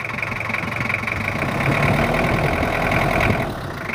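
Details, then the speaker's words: Toyota Kijang LGX 2.5 diesel at idle, complaint of rough sound, valve adjustment due, with oil seal leaks: uneven, lumpy beat around four pulses a second with a clattery edge, rough idle. "Hai kalau suaranya ya begini tapi mobilnya aman dari ngobos nggak ngebosenin cuma ada bocor dan minta diperhalus untuk suaranya"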